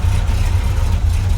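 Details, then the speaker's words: 1978 Corvette Pace Car V8 with a new Painless wiring harness: deep, even rumble at a steady idle with a smooth exhaust note; no big exhaust leak found. "yeah it actually doesn't have a giant exhaust leak which is good didn't even have to shut it off"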